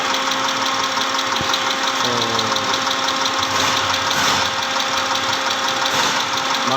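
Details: 2010 Mitsubishi Pajero, 6G74 V6, at idle: irregular knocking with no steady beat over a busy, hissy idle; engine knocking, cause unclear.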